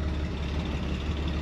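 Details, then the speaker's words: 1966 Chevrolet Corvair Monza convertible, rear engine, in neutral with no throttle: low, smooth, even idle rumble with no knocks, misses or surging; healthy. "voilà alors sans action sur la accélérateur elle tourne super bien on entend le moteur donc d'abord on a un peu surpris d'entendre le moteur à l'arrière voilà il a l'air de bien ronfler"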